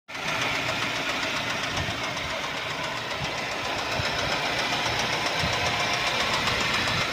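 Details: 2012 Mercedes-Benz C180 S204, 1796 cc M271 petrol, 115 kW, 159,658 km: steady engine run with an irregular deep knocking, roughly three to four knocks a second, caused by a knocking crankshaft.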